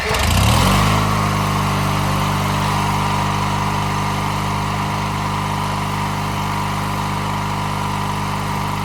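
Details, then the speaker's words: 1997 MTD Yard Machines riding mower whose tank, fuel lines, filter and carburetor had run completely empty; refueled and hard to start, it catches within a second, then settles into a steady, even low drone. Running normally. "yeah I got it started wasn't easy I'm going to let that run that way it gets gas into the carburetor before I try moving it"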